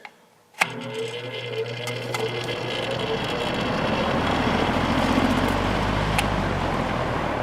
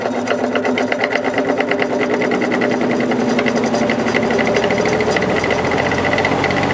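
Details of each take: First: Repaired fan with all speeds working: steady even whoosh of air with a low motor hum and no rattles or scraping on medium; normal running. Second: Air King 9218 window fan on high: harsh rapid buzzing rattle with heavy pulsing vibration from the motor; felt washers and bearing fine, caused by the motor's imperfect rotor.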